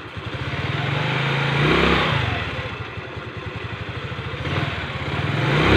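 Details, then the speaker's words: Rusi Gala scooter after its V-belt, hardened by CVT heat and causing a rubbing noise, was replaced. It revs up and down smoothly with an even engine note and no scraping from the CVT side, confirming the rubbing noise is gone. "so napating niyo naman mga sir bale nawala na ngayong tunog so test drive muna natin"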